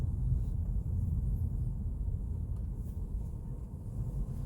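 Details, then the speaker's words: Mercedes E-Class W212 with panoramic sunroof, driving over speed bumps after the headliner was removed and anti-noise work done on the sunroof: only steady road and engine rumble, and the earlier creaking and clicking is gone. "아까 시에이기를 이렇게 나갈 때 그냥 여기 지나가면 소리가 느 누득 났었거든요 어 지금 전혀 안 나네요"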